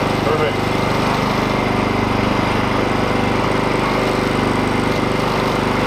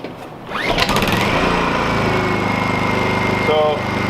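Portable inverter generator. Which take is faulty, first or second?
second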